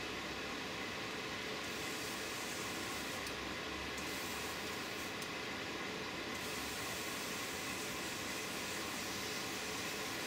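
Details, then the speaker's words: Airbrush spraying with a compressor that has a tank: steady air hiss with a rough, uneven spitting edge, splattering from air bubbles in paint just shaken up; air pressure raised to try to clear it. "now I'm listening and it sounds like when I just shook the color up I've got some air bubbles in so I can hear a bit of a splatter coming out"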